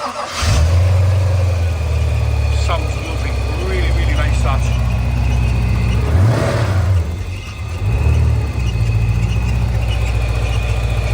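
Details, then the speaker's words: 1987 Porsche 928 S4 5-litre V8, manual gearbox, slightly high mileage, engine rebuild receipts: cranks, catches quickly and settles into a deep, even idle with smooth blips and no knocks or misses; healthy V8 start. "And there you have it. The Porsche 928 S Series 4 5-litre V8 manual gearbox, a massive history file on all the money spent on that one there."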